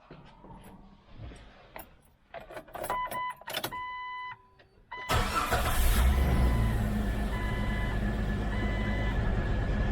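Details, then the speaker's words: 1999 Jeep Wrangler TJ 4.0L after exhaust manifold and motor mount replacement: a few clicks and chimes, then engine catches and settles into even, quiet idle; former exhaust-leak clatter gone, no check engine lights, normal idle. "Oh, that is so much quieter. No longer clattering and sounding horrible. No check engine lights or anything goofy."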